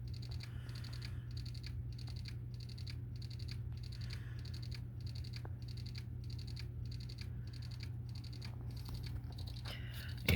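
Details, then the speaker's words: PS4 Slim that reportedly fell hard, showing blue light but not booting ("cannot access system storage"): faint regular clicking about every 0.75 seconds over a low hum; failing hard drive, needs replacement. "it's just shining this blue light trying to boot up and it's not booting up and it's making this noise into the disc"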